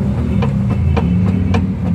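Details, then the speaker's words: Xpander/Avanza with the engine idling and the steering wheel turned left and right: repeated sharp knocks about every quarter second. The stabilizer link was already replaced and the steering shaft seemed not to be the problem; the noise comes from the steering rack assembly. "Sa naging assessment ko dito sa sasakyan ni customer, dito galing yung ingay sa steering rock assembly niya."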